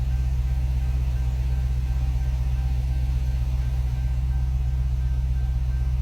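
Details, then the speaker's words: 2016 Dodge Charger after its rebuild, first start once finished: deep, steady, even idle with no knock or tick, a little smoke as fingerprint oil burns off the headers, fan working; engine sounds good. "sounds good though sounds pretty good"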